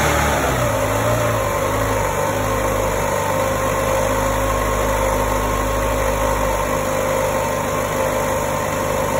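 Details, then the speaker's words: 2008 Chevy Aveo after throttle body replacement for code P2101 throttle actuator position performance, first start: steady, even hum held at raised idle around 1500 rpm, no stumble or surge; high idle during throttle relearn. "finally was idling at 1500 rpms"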